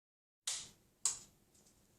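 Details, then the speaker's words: LG 50PT250 plasma TV, Y-sustain board with shorted FETs (RD2004, RG2006, 30F124), power plugged in and on pressed: three sharp relay clicks over a quiet hum as the set starts, immediately shuts down and shows no image. "okay so we plug the power in we hear the initial click come to the front of the TV we look at the Led we press the on button the LED comes on and comes back on right so sorry it goes off and then comes back on"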